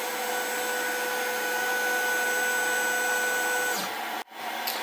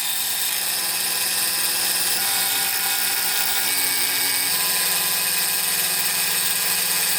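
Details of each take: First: Snapmaker 2.0 CNC test cut: steady high spindle whine drops and wavers as a small side piece of the workpiece comes loose and wraps around the bit, then a brief dropout and sharp smack as the offcut flies off. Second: Snapmaker 2.0 CNC router cutting a wood phone holder demo: a steady high-pitched spindle whine with an even, hissing cut and no chatter or bogging, chips flying everywhere; it is cutting cleanly.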